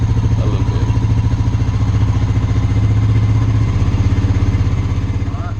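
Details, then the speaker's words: 2001 Honda Rancher ATV revived after sitting outside for years, with new carburetor, fuel petcock and battery, idling with a little smoke, diesel suspected in the gas; steady even single-cylinder thump, about three beats a second, no misses or knocks, healthy idle. "so we're gonna let it run for a few minutes make sure we don't have any leaks anywhere a little bit of smoke but I think that's what goals there's diesel in the gas"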